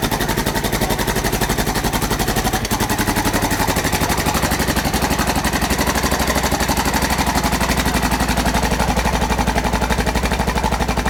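Steady, hard ticking at roughly four per second, locked to the idle beat; a rattle from the top end, source not pinned down. Cause suspected, not confirmed.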